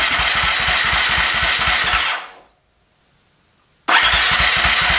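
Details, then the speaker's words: Husqvarna FE350 converted to FE 366, first start after a full rebuild: fast even cranking pulses, about four a second, that never fire. The spark plug wire was not fully seated on the plug. "Alright, so we found out that the spark plug wire was not all the way on the spark plug, so we put it in and see how it goes now."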